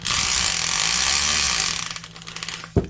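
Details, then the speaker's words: Milwaukee 5378 German-made two-speed hammer drill, about 2006, lightly used: rapid high-pitched rattling chatter under load for about a second and a half, then winding down; hammer action strong and even. "Seems to hammer pretty good."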